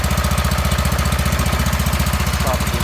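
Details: Wheel Horse garden tractor small single with new electric fuel pump, started on choke in neutral on a snowing cold day: even, regular thumping of about 220 beats a minute with no skips; running smoothly from cold.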